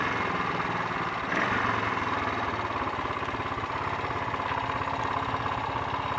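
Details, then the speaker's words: Honda XL 350 single-cylinder motorcycle on a test ride after a blown head gasket repair, still bogging down under acceleration; uneven beat with skipped, spluttering firing pulses, engine misfire of unknown cause, points and carburettor float bowl to be checked. "that was anything but enjoyable on both the misfiring and the handling fronts, but it confirms one thing: it's time to break out the spanners and have a look and see if I can get to the bottom of this."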